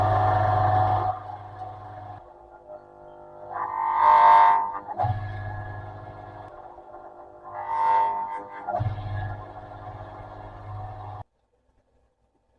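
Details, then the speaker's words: Salvaged lathe motor on a cheap speed controller, run without load: low steady hum drops away then returns with a higher whir twice, pitch barely shifting between settings; owner doubts it changes speed. "Not sure what I think about that. Not sure if it's um actually changing the speed that much or if it's just getting to a point where the voltage"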